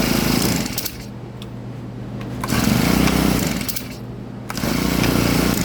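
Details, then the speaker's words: Husqvarna 324L two-stroke trimmer after carburetor fuel line repair, idling and blipping: an uneven surge with a rough, wandering beat; owner suspects the mixture needs adjusting (mixture screw capped), not confirmed. "sounds like it needs to be adjusted. Let me see if I can adjust this."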